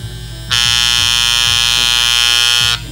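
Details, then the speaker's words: Andis Master clipper with new blades, tension adjusting knob turned counterclockwise to loosen; low motor hum turns into a loud harsh high buzz as the blade rattles. Fix: turn knob clockwise to proper tension, not too tight or blades won't move. "It just sounds terrible because you're just basically loosening up the adjusting knob. So this knob right here is what you want to be able to adjust to be able to get rid of that sound."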